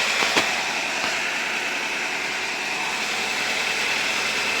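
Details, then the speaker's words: 1997 Nissan Almera/Pulsar N15, GA14DE, about 162k km, after a little cleaning: steady, even idle, now running on all four cylinders; coolant leak still present. "Now it's running back on 4 cylinders with a water leak here, which I hope I will fix now."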